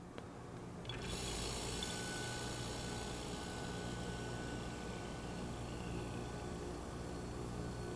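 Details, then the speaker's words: Salvaged sealed fridge compressor after oil drain, flush and refill, suction capped, run on a vacuum gauge set: it kicks on and settles into a steady low hum with an even buzz, no knocking, pulling full vacuum, so valves and mechanism are judged good. "Which that looks to me like what a good compressor should look like. It's right there down to the minimum on the vacuum scale."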